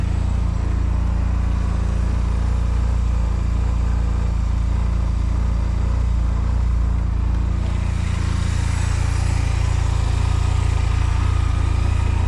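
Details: 2005 Honda Silver Wing scooter just started for first time after sitting mossy, oil and coolant checked: steady, even low-pitched running, no knocks or misses, picking up slightly near end; normal idle.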